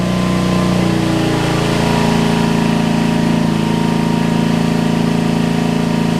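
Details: Homelite LR4400 generator after carburetor replacement, under load: the engine hunts up and down instead of holding steady, racing then sagging; the governor is slightly out of place and needs adjustment.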